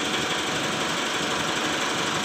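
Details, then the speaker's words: Mitsubishi Strada Triton Exceed 2008 automatic diesel: rapid, even light ticking over a rough idle from the supply pump; faulty supply pump, noise won't go without replacing pump components or the whole pump. "jadi suara itu agak sedikit risih teman ya karena suara itu tidak bisa hilang kalau tidak diganti untuk bagian komponen pada supply pump nya atau diganti seperangkat"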